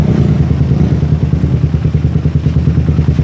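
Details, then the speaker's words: Suzuki Satria FU single-cylinder with the exhaust camshaft decompressor removed: thumps at an even low idle of about three beats a second; the earlier tek-tek ticking is gone and it sounds healthy. "Karena dekompresi sekarang nggak ada suara tek tek tek alias langsung Jadi pas disela langsung nyala itu"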